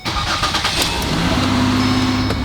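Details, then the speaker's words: Car started after replacing an ignition coil and spark plug for a misfire: it catches quickly and settles into a smooth, normal idle, with some clicking noted and no new or pending OBD2 codes. "smooth like a kitten purring on my lap cuz it loves me in myz it loves we have normal idle"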